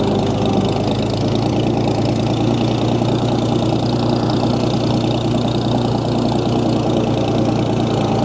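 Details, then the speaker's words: 1937 Oliver Hart Parr 70 tractor running after a cold-blooded start, with the choke being adjusted: steady, even low-pitched run with no knocks or excessive transmission or timing-gear noise. PTO turns; belt pulley is missing its drive sleeve. Runs smooth. "This thing sure runs smooth though. No knocks. No excessive gear noise in the transmission or in the timing gears up front."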